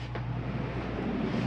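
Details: 2022 Catalina Legacy 303QBCK RV, AC switched on at wall thermostat: steady low hum with constant drone, no rattles or cycling; roof air conditioner running normally.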